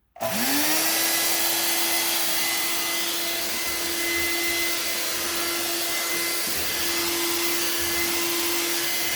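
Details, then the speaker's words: Old-school Bissell Featherweight stick vacuum with cleaned filter, run on hard floor (designed for it, louder): fast spin-up to steady even motor whine and airflow hiss, no rattle; works well apart from blowing some dust out the exhaust. "other than shooting a little bit of dust out of the exhaust it seems to work well"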